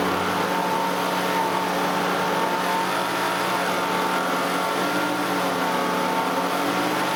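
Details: 2008 Nissan Elgrand E51 (ME51) 2.5L, about 90,000 km: engine at mid revs (around 2000–2500 rpm) with thin wavering whine only when AC compressor engaged; noise present about three years, none when compressor idle; cause unknown.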